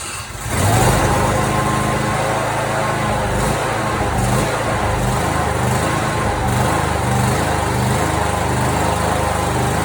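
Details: Simplicity mower with a 27 hp Briggs & Stratton V-twin on its original Nikki carburetor, before swapping in a China-made replacement carb; uneven chug with sharp backfires and pops.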